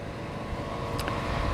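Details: Rebuilt John Deere Z225 zero-turn mower with brand-new engine, new tires and sharpened, balanced blades, on a mowing test: steady low engine rumble at constant speed, no knocks or misses, brief click midway; healthy normal running.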